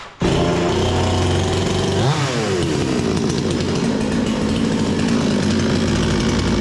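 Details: Bolat 5820 chainsaw after air filter cleaning and stop switch fix: catches and runs smoothly, revs climb cleanly and hold steady with no stumbling; running normally.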